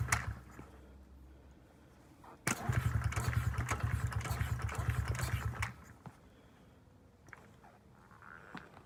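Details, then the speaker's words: 2009 Honda CRF50F pit bike, not started in 2 years, kickstarted with choke up: turns over, catches for about three seconds of rough sputtering, then dies; hard starting because the choke was left on too long. "So, my mistaken error, I left the choke on too long. That's why it was taking me 6.5 minutes just to kickstart that bike."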